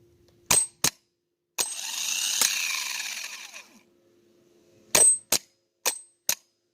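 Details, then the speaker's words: Old worn-out starter from a 2014 Infiniti QX80 5.6L, bench-tested on a jump box with a remote starter switch: sharp solenoid clicks, one short rough whirring spin that winds down, more lone clicks; intermittent engagement, starter suspected worn. "so sometimes it wants to work sometimes it don't and it honestly just sounds uh terrible you know sounds like it's a worn out starter"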